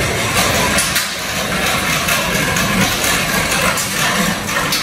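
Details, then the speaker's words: 1.9 TDI diesel first start after a reconditioned cylinder head, reground crankshaft, new injector tips, fresh oil and filter (oil-pressure damage): even diesel clatter at idle, steady with no misses or knocks; engine runs nicely. "Mindenki nagy örömmel teli ma. Begyúlt szépen jár nagyon a motor."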